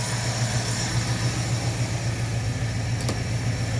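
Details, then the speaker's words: Ford Galaxie 500 being revived, running a test on a temporary fuel supply, in forward gear with a block behind the wheel; steady even idle, low throb, no misses, slightly fast and needing idling down. High idle speed. "stand to be idled down just a little bit. We'll do that."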